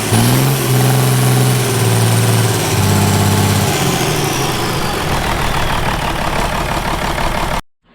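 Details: Ford 5000 tractor with swapped Ford Brazilian 7.8 six-cylinder turbo diesel, first run: comes down from a light rev and settles into smooth, even diesel idle, no knocking or rattles; normal idle.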